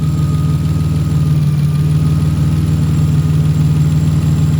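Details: Petrol engine idling after tune-up and exhaust leak fix (owner suspected old PCV valve leak): steady, even low rumble with no ticking or puffing; sounds healthy, O2 sensors functioning properly.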